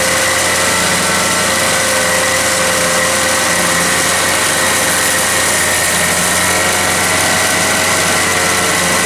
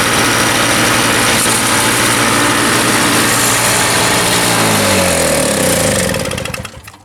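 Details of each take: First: Toro CCR 3000 GTS 5 hp two-stroke snow blower with a replacement aftermarket carburetor kit fitted: constant high-pitched scream around 5,500 rpm on a tachometer, no dip or change, rpm can't be brought down. Overrevving; the wrong carburetor's throttle is held open. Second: Toro CCR 3000 GTS two-stroke snowblower after fitting the correct replacement carburetor and setting the governor: a steady, even high-revving buzz at about 3,500 rpm with no surging, winding down smoothly at shutoff. Normal running.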